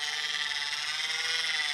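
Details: 30W hand crank generator with apparently brass, chrome-plated slide-out arm: steady, even high-pitched gear whir with no squeak or catch; crank turns freely and smoothly.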